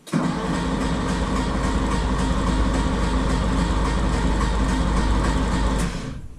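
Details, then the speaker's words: Porsche 911 engine cranked with the spark plugs out to prime oil pressure before first start. Fast, even starter whirr for about six seconds with no compression pulses; oil pressure was reached and held. "then we'll chuck the spark plugs in and hopefully we can get it to start we have oil pressure that was easy"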